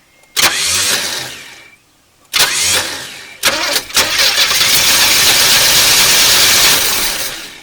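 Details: 1981 El Camino sat 21 years, carb primed with gas: several cranking bursts, then long crank almost firing but never catching; misfire-type no-start from bad spark plug wires.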